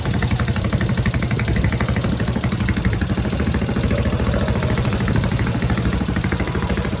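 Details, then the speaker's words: Tecumseh Snow King engine on a snowblower stored all summer with fuel and oil drained: fast, crisp, even single-cylinder firing holding steady under throttle without stumbling; normal running. "Yeah, she starts up. No problem. No problem at all. It's a beast."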